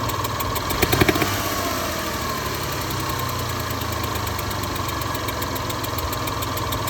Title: Getting a hissing tick/ knocking sounds in valve lifter area please help diagnose.